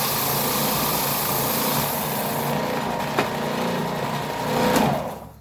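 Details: New Ridgid oscillating belt/spindle sander, out of the box, sanding a piece of wood: steady high motor hum with sanding rasp, brief pitch dip under load, then wind-down; healthy.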